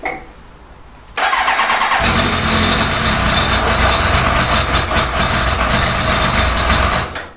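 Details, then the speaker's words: The Fighter cold start after 5-6 months unused and bone dry, carb bowls primed with fuel: brief crank, catches within a second, settles into steady even idle; starts clean and healthy. "Honestly, this has not been started for something like 5 or 6 months. And just prime it with fuel, and it just fired straight up. That is incredible."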